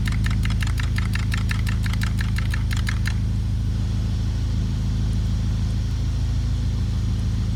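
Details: BMW E39 with M62TU44 V8 at 210k miles, running rough: sharp, even metallic slapping about four per second over a low idle hum; main timing guide cracked in several places, all four chains slack, oil pump chain stretched.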